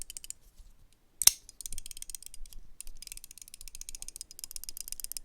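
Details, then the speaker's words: Chaves Chub flipper utility knife: the replaceable blade sits loose in its holder and rattles even when closed in the pocket. Light metallic clicking bursts with each shake of the knife. "so even when it's closed in the closed position in your pocket walking around you hear this rattle rattle rattle rattle rattle Ratt rattle this sound is just terrible"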